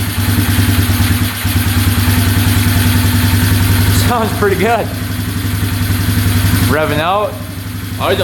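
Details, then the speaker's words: 2011 Polaris Phoenix 200cc ATV after fixing start wiring, airbox off: even single-cylinder idle then two crisp clean blips, no smoke or knocking; running healthy. "sounds great no smoke at all no knocking in the engine yeah everything sounds really good get a little rev here wow I cannot believe that fired right up"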